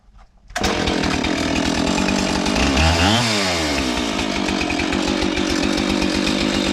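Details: Husqvarna 576 XTorq chainsaw after muffler repair (mount had cracked when screws fell out): fires up, idles crisply, revs once and settles back; clean crackle with no leaky exhaust rasp, running as it should.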